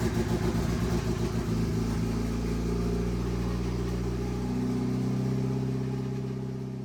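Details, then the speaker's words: EVO 8 first start after a rebuild with a repaired 20G turbo, new downpipe, EVO 4/5/6 radiator and intercooler piping, with the crank position sensor plugged back in: quick cranking chuffs, then it catches and settles into a steady, even idle with no knocks. Normal idle. "And this is it. This is literally the first start. This is actually the first start of the EVO."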